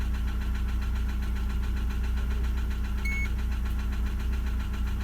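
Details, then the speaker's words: Lada Priora engine with worn crankshaft, after spun 2101 bearings were replaced with standard shells, warmed to 90 °C and restarted at idle: steady rapid light tapping over the engine note; piston knock persists, oil pressure light goes out immediately. "вот заглушил нами но здесь сейчас стоит заведу и посмотрим как прошло минут десять давление погас на сразу но стук не прошел"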